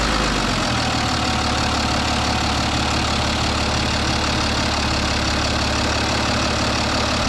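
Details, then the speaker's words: BMW 330d N57 3-litre six-cylinder diesel after replacing the intercooler outlet hose O-ring to fix a small boost leak: even steady idle clatter, no misses, hunting or boost hiss; smoother than ever, normal idle. "Smooth as a kitten. Look at that. I always say to myself, imagine just having like a beautiful big 3-litre engine. Whee! She's running so smooth, smoother than it ever has."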